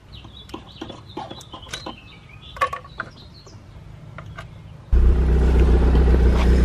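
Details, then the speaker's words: Built MK6 Golf R idling after aftermarket CAT cam install and cam tower reseal, hose refitted: fires and settles straight into even idle, no ticking or knocking; sounds fine but leaking oil or fuel and smoking heavily, likely burning oil; cam timing later verified correct. "Sounds fine. Just leaking oil, or leaking fuel. Smoking a shit ton too. Smoking an absolute shit ton. Alright, the engine sounds good, but I'm going to just verify that the cams are timed correctly, just in case."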